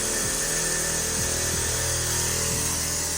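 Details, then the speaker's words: Newly installed car air suspension compressor, wired to switch on with fuel pump prime: steady buzzing hum with airy hiss, no surging or stalling; normal compressor operation, though system has several air leaks. "And if I did my wiring correctly, it should turn on when the fuel pump primes."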